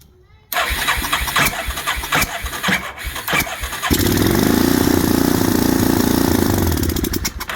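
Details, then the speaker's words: 1987 Yamaha Moto 4 350 (YFM350ER) ATV with 160 psi compression. Spark was restored with a simple fix; it still needs a new ignition switch. Carb cleaner was sprayed into the mechanical-slide carb held wide open; the starter cranks and the single pops unevenly for seconds. The carburetor needs cleaning. "There we go. So, we know this thing will run as soon as we clean the carburetor."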